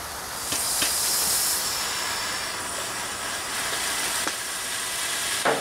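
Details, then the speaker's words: Upright steam engine that sat for years, tried at about 20 psi boiler pressure. Continuous steam hiss with a few irregular puffs and no steady beat: the eccentric has slipped, so steam is admitted to both sides at the wrong time and the engine won't run. "okay folks uh not running uh we have figured it out that the eccentric has moved it's not where it's supposed to be"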